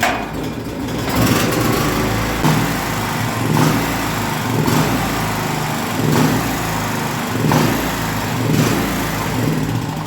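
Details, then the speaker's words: Small gasoline generator that shuts off after about 5 seconds: engine hunts up and down about once a second, never settling; fuel clean, fuel starvation. "this generator has the problem of ripping and not being adjusted so that when we turn it on it bites badly and slows down"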